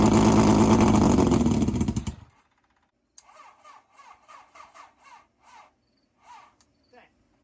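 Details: 750cc half-scale NASCAR kart, not run for two months, cold start: fires and runs loudly for two seconds, then revs sag and it dies; owner suspects the chokes were turned off too early before warm-up.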